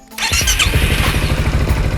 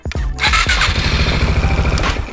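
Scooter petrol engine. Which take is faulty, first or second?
first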